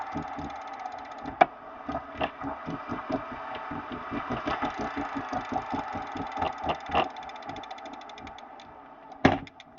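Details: Elite XR Direto trainer after new belt and tensioner pulley and a cleaned, JB-welded, re-torqued metal drive pulley. Loud rhythmic rough scraping pulses, about four a second, keep pace with the pedalling; grinding persists, cause not found.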